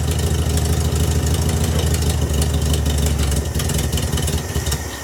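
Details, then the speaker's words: VW Beetle with new Pertronix distributor and coil: uneven loping idle with stumbling beat that sags and fades as engine starts to die; timing closer to right, owner suspects carburetor way off. "That's more like the timing should be, but then it dies. So my carburetor must be way off."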